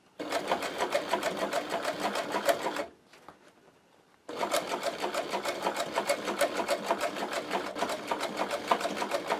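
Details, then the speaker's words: Servo motor fitted to a Podolsk sewing machine, max speed set to 500 rpm and pedal-controlled, stitching a scooter seat in thick leather with thick thread; quick even needle chatter, short pause, smooth stitching, motor nearly silent; normal servo sewing. "Вы это слышите? Ничего не слышно. И даже когда он включен, когда он не работает, он экономит энергию."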